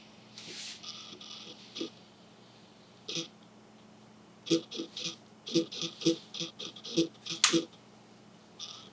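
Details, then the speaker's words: Fujifilm XF 50mm F1 lens autofocus motor hunting back and forth: short high whirring bursts with faint clicks in a quiet room, grinding felt in hand; loud autofocus motor noise, owner unsure if something is wrong inside. "did you guys hear that i don't know man that sounds pretty loud to me i keep hearing that over and over again"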